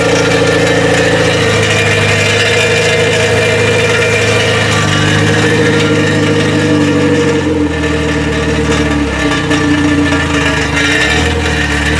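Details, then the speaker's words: K20-swapped Honda EK hatch, first running just after the swap, left to idle on its own: low, uneven idle that wavers and dips as it hunts, fluttering down low; throttle plate closed too far and needs idle screw adjustment. "like when you first started it it's just fluttering down here"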